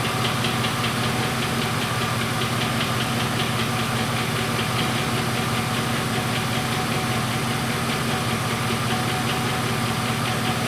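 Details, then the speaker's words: 99 GMC with 2013 Silverado 2500HD 6.0 V8 swap, after replacing bank 2 injector number eight for fuel smell from passenger exhaust: steady even idle, earlier exhaust popping gone, faint tick owner suspects may be an injector. "I don't hear that pop back here that I used to hear they used to pop every once in a while it sounds good"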